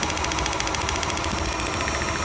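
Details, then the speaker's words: Rough, uneven idle with a choppy popping pulse about ten times a second. Pulling the number one cylinder's connection changes nothing, confirming it is dead. Compression tested at 160 PSI and the coil passed, so the spark plug is the culprit. "See how the engine's on or the engine doesn't change any worse? That's how you know that's the dead."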